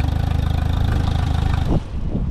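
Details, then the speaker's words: Mercury FourStroke EFI outboard, on water: fires and settles into fast even pulse higher than proper idle, IAC stops cycling; high idle because warped throttle body stays slightly open. "Now, I can clearly hear that the idle is too high. And that's because that throttle body is warped and it's still open."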